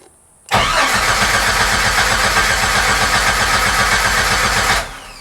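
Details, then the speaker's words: 1994 Jeep Wrangler crank no start: starter turns over evenly about four beats a second but never fires, fuel pump not heard priming even after loose IGN fuse fixed and dash lights restored. "Still nothing. But you know what? I still don't hear the fuel pump kicking on"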